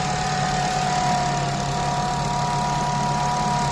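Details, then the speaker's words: Honda FN2 with K20 intake manifold and J35 throttle body refitted and a new oil catch can, first start-up: steady, even idle with a smooth low hum and faint constant whine, no knocks or misses, no leaks; normal idle. "Okay. Perfect. Running perfectly, no issues."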